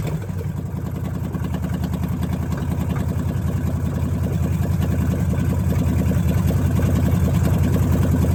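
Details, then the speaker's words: Dodge Challenger V8 with Terminator X after fixing a vacuum hose and replacing fouled plugs from running rich: deep even lopey idle, no misses, rising slightly and smoothing; normal idle. "it idles so much better now so i'm excited to really hear uh what this thing sounds like"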